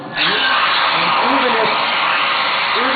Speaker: let's presume that the piano had a tremendous amount of leakage here's what you'd hear see so the pump itself isn't what's loud what's loud is the air going across the